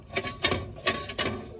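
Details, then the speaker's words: RV trailer wheel hub spun by hand during bearing service: rough, gritty metal-on-metal scraping bursts with no smoothness; a dry, ungreased wheel bearing that has gone out. "there's no grease in the bearings with no grease that creates heat without grease it will come off of your trailer going down the road"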